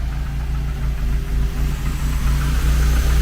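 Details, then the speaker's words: Renault 11 TXE carburettor engine after idle adjustment, air filter off, dipped headlights switched on as load: settles into steady low idle with even beat, no hunting or stalling; idle holds well. "Fais voir parallumer. Non, elle tient malgré que les Ouais, elle fonctionne les feux de croisement."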